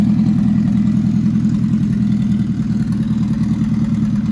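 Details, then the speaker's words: Freshly installed Nissan MR16 engine swap (10k rpm build) after first start, idling with good oil pressure and no leaks; steady, even beat and smooth drone, no knocks or misses; running great, normal running. "right so it's running great"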